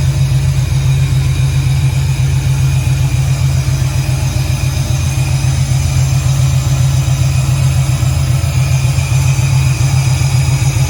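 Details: 1968 Camaro V8, second start-up, Holley EFI missing correct injector data, idle needs adjusting: deep strong lumpy rumble with no knocks or ticks; slightly smoky from oil added to cylinders, oil pressure gauge shows error; normal running, sounds great.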